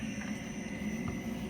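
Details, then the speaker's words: Oil filter cart pump started at zero speed and slowly turned up until the cavitation noise stops, running between 0 and 15 gallons per minute: a steady low hum with no rattles or surging. It runs smoothly. "Turn that up until you do not get that noise, which is cavitation. So run it whatever speed you can between 0 and 15 gallons a minute, and it sounds good."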